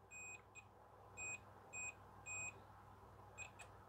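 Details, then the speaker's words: LG FC930W VHS VCR that would not load cassettes: a multimeter continuity test across a micro switch held fully in gives short, high beeps; normal continuity beep. "let's just try it across that track there we should get a beep yep"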